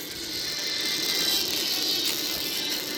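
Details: Phone plays sound thin and harsh with a buzzy rattle: the loudspeaker vibrates because its top is left unsealed.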